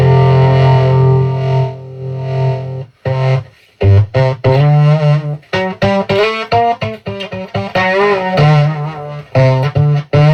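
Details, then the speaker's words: 1980 DOD 670 flanger under repair, effect on, giving much higher output than bypass. Guitar chords break into gritty fuzz on every strum; cause not yet found: distorted flanger output. "doesn't sound good to be honest I hear some grunginess"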